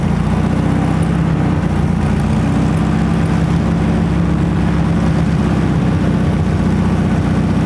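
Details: 1968 Volkswagen Beetle, abandoned over 20 years: engine catches and keeps turning with a low, lumpy, slightly uneven pulse, running rough only on fuel poured into the carburetor, so fuel supply isn't restored.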